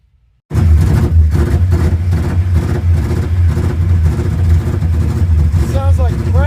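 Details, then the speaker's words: Eight-cylinder car being readied to drive after 27 years, one mismatched spark plug found: lumpy, uneven stumbling rumble as if on three cylinders; the fuel pressure regulator isn't working, so excess pressure overpowers the carburetor floats and floods it. "It sounds like it's running on three cylinders. I don't know what's wrong with it."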